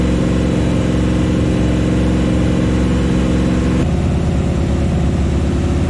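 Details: New Chevy 350 V8 in a 1974 Chevy Nova at first start: a deep, steady fast-idle rumble for cam break-in, firing evenly with no misses or knocks, and the pitch easing slightly near the end. Normal. Oil squirted from the valve covers without a PCV valve or breather.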